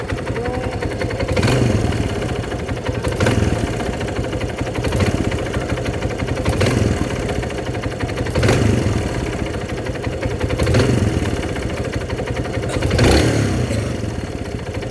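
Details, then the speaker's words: Kawasaki Barako motorcycle brought in for a noise: a deep knock sharpens with each throttle blip over a rough idle; judged connecting rod knock, not timing chain or transmission. "sabi naman ni Timoy, Wala, hindi yan timing chain. Connecting rod nga."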